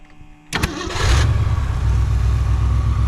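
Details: 1963 Mercury Comet 260 V8, off the road for 25+ years, after Autolite 2100 carburetor rebuild and with a working electric fuel pump: brief crank, quick catch, then a deep steady idle with a smooth, even low rumble; normal start.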